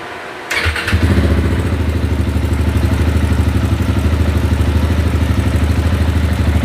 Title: 2010 ktm 690 bad fuel pump